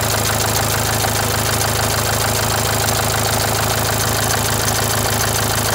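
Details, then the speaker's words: Renault Symbol, a month after a full engine rebuild: rough, vibrating idle with a steady pulsing beat about twice a second over a rattly top end. A failed tensioner bearing let the timing belt jump a tooth. "gergi bilyası arızası çıktığı için araba semti atlamış diş kaçmış O yüzden gürültülü değişik bir şekilde çalışmış mı değişik bir şekilde titreşimli çalışıyormuş"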